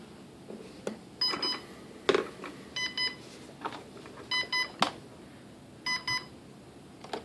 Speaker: you'll notice what's gonna happen is it's gonna beep when I plug this in